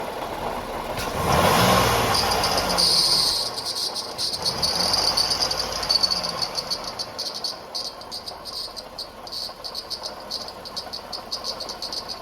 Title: Leaking Water Pump whistling sound - Toyota Highlander